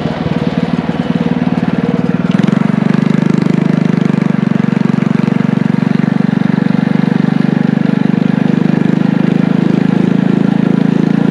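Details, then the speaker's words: Engine from an old power washer, with a muffler and a 6.5 HP torque converter clutch, on a DIY trike ride: pulls up to a steady, even hum and holds it under load without stumbling; normal running, picks up well. "all right guys so as you can see we just got back from taking this thing for a ride and it actually rips around pretty good it picks up surprisingly well especially with that torque converter it's working perfectly"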